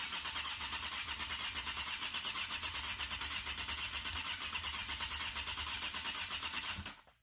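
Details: 1997 Yamaha FZR 600 after carb rebuild and bench-synced throttles, first start on choke with gas force-fed: fast steady cranking with quick even pulses, catching and running rough before cutting off; normal cranking and start.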